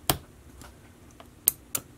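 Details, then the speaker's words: Breadboard relay driven by a MOSFET control circuit on 5 V: sharp single clicks each switching, four in about two seconds, relay pulling in properly. "here's the big test hopefully we're gonna hear it click yes I think it's all the ball should be so I won't talk so that's it clicking"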